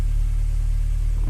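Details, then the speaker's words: Honda Prelude H22 turbo, first start on new 1000cc injectors with a Hondata base map: steady low rumble at a fast, even idle with no hunting. It vibrates a bit and runs rich (about 12.6 AFR); idle rpm is set too high. "so I found one of the issues so right here I have my rpms that way too high"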